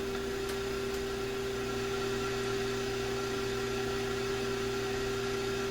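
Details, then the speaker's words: Sanyo GXT4505K combo receiver with no FM reception, heard through a signal tracer at test point 3. There is a steady hiss and faint hum with no station coming through, only FM noise. "Well, that sounds like the FM hiss."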